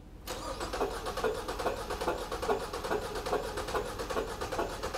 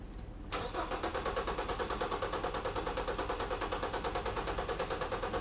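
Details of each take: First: 2014 Ford Fusion cranking with one spark plug pulled, amp probe on the negative battery cable, firing order 1-3-4-2. Lopsided chug with a heavier beat about every 0.4 s, as one cylinder lacks compression. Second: 2014 Ford Fusion cranking with the fuel pump relay pulled for a relative compression test: steady starter chug, about three pulses a second, each stroke even; compression sounds balanced across cylinders.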